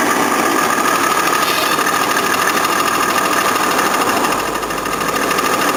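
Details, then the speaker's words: 1983 Jaguar XJ6 Series 3 4.2L six, cold start with a broken drive plate: loud, busy rattling clatter over a fast cold idle with no let-up; cracked flexplate, later replaced. "all right I'm going to uh start this Jaguar xj6 4.2 liter six cylinder it's got a broken Drive plate let's see what interesting noises it makes today"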